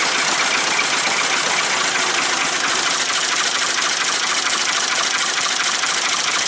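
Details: Ford 3-cylinder diesel in a 550 tractor loader backhoe, first start after reassembly and bleeding fuel at the injectors: harsh, loud, even diesel clatter with raspy open-pipe roar, no misses; normal idle without a muffler.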